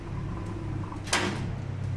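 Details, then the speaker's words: Newly installed electric gate opener with arm, bracket and lock aligned, on test: a low, steady motor hum as the gate comes down, then one soft settle at the stop with no hard bang. It closes smoothly with no slamming. "Zerou agora o que a gente pode dormir sossegado que não tem mais pancada"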